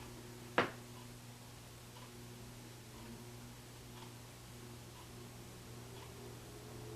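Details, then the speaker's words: New Westinghouse Contempra Trio ceiling fan on its highest of three speeds: quiet, steady moderate hum with even air noise from the blades and one stray click. Normal, smooth operation. "okay that's full torque I want you to hear it there's a moderate hyung really really nothing that would annoy you the blades actually slicing through the air making more noise but it throws off a lot of wind"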